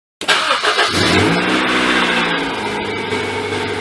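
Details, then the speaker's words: Honda CR-V (1997–2001) B-series twin-cam engine after timing belt and water pump replacement, before coolant top-up: fires right up, revs briefly, then settles into a smooth even idle with no ticking, slapping or rattle; normal start and idle. "That sounds right. Okay, I'm calling that good."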